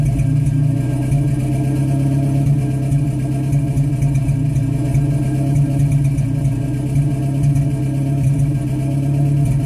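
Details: 1985 22RE four-cylinder petrol engine idling with a rough, uneven thump from a misfire.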